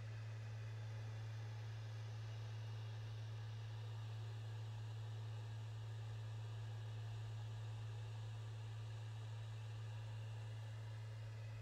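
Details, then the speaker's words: PS5 Blu-ray drive after securing a loose side panel that caused rattling: steady, low, even hum of the disc spinning smoothly, no rattle. "no more noise no more rattling sound only the smooth sound of disc spinning inside the blu-ray drive"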